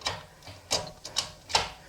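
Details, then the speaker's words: 1978 Corvette with Tremec TKX manual transmission, mocked-up shifter moved through neutral, first to fourth and reverse after clutch bleeding: five crisp, positive clicks, reverse like a rifle bolt, no squeaking; normal shifter engagement. "reverse sounds like you're shifting a rifle bolt it's pretty cool"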